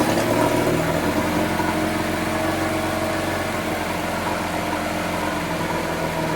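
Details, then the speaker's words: 1980s Honda four-stroke outboard found by a dumpster, after carburetor cleaning cured cutting out and surging: now starts on first pull, smooth even idle with steady low hum, no misses; normal running. "found this thing in the dumpster. And now she pretty much starts on the first pull."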